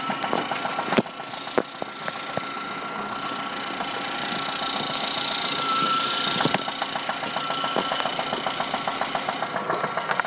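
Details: 1997 Saturn SC2 idling: sharp, regular tick-knock about twice a second over a thin, hissy idle, heard through a stethoscope; began six weeks after purchase, right after high RPMs.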